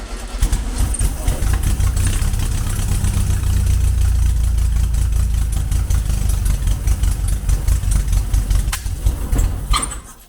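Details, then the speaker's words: 1974 VW Beetle 1303S, 1915cc engine with ITBs, Engle 120 cam, first start on Classic Fuel Injection UK EFI with a little throttle: rough, uneven low chuffing, stumbling irregularly then dying; ignition timing found to be miles out. "timing is miles out anyway. Straight away we could tell that."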